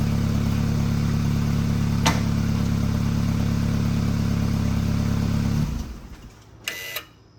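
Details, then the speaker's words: 2013 BMW 328xi (F30) after installing a new exhaust fixing bow to cure a rattle at the rear: steady, even idle hum with no rattle or buzz, then a clean shutdown; exhaust rattle fixed. "i don't hear any rattling noise okay so that fix our problem in the rattling noise the exhaust"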